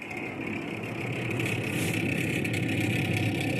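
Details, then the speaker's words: GE top-mount refrigerator with a loud, steady whirring drone and faint high whine running constantly; diagnosed as a failing evaporator fan motor, to be replaced. "noise refrigerator complaint look like we got a evaporator F going bad pretty simple to change actually"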